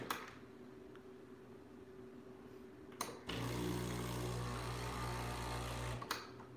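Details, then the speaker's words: Breville Barista Express espresso machine that had made a funny noise at startup: quiet room, then a steady, even low pump hum for about three seconds with no rattle; normal pump operation. "You know what? It's working fine."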